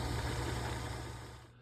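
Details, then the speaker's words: General 340 drill press running with the bottom cast-iron belt guard removed: a steady low hum with an even motor drone and no rattle or knock. It runs smoothly. "That maybe changes when everything is installed, but no rattle though."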